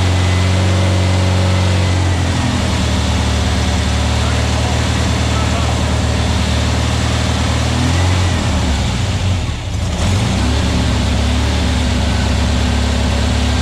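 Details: New VW Beetle 1679cc single-port flat-four, Scat C25 cam, dual Empi ICT carbs, first fire-up during 20-minute cam break-in: strong even low drumming held steady, no misses or knocks; timing spot on, no leaks, carbs need tuning; normal running.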